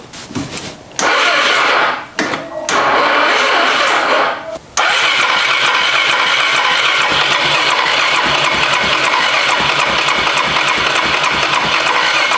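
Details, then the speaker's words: Older Suzuki Skywave/Burgman 400 single-cylinder four-stroke CVT scooter, variator removed, badly worn belt, half-dead battery so jump-started: halting start attempts, then uneven, choppy running; collapsed muffler masks the sound; crank seizure by the variator belt is under investigation. "Sa batterie est à moitié morte, j'ai dû l'allumer. Et malheureusement, le moteur ne fonctionne pas parfaitement."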